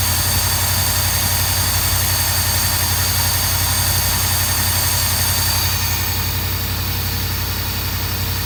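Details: 1982 Mercedes 380SL: engine runs smooth and even but sits at a fast 1500 rpm idle that never drops; high idle, idle speed control module suspected.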